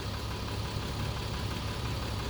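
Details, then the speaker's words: Mercedes-Benz 3 L diesel after two dealer diagnoses calling for engine replacement; steady even idle with smooth low rumble, no knock, tick or rattle; check engine light still on; normal idle. "this is now a per engine that runs like it's supposed to doesn't have the noise it's supposed to"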